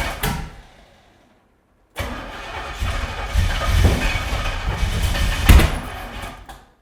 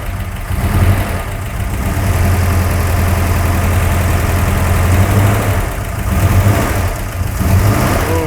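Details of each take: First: About 600 hp big-block Chevy newly installed in an 80s C10 squarebody, first start on the old starter: grinding cranking, then a rough catch with uneven pops, bangs and flames, a backfiring rough start from plug wires 3 and 7 being swapped. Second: C10 Squarebody with a freshly installed ~600 hp big-block Chevy, just after swapped plug wires 3 and 7 were corrected: a deep, lumpy, even idle rumble that is now normal.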